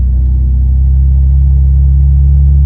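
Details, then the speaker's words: G-body V6, heard from inside: loud, deep droning rumble with almost no top end, far heavier than a stock V6; the muffler casing has blown a hole and is leaking exhaust. "I know you can hear the exhaust in the background. We do know that this is a V6, so it doesn't normally sound like that."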